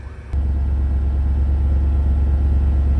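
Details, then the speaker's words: Supercharged Range Rover bought at auction: low steady drone cuts in abruptly and holds even as the air suspension compressor raises the vehicle from its low stance; air suspension compressor running. "hear the compressor she's raising up tell you what she does run well"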